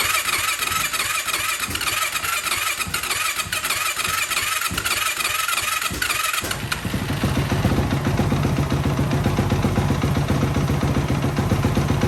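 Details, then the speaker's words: 2004 Yamaha YFZ450 ATV single-cylinder after rebuild with new exhaust, quiet-core still fitted: cranking, then catches into a rough, slightly uneven idle; carburetor needs tuning though it seems to run good. "Looks like we got some carburetor tuning to do, but seems to run good."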